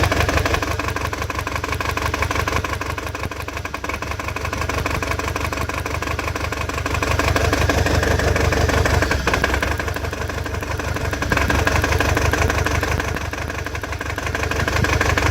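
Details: Toyota 22RE-T four-cylinder misfiring at idle: uneven idle with a rhythmic stumble about three times a second and wavering speed.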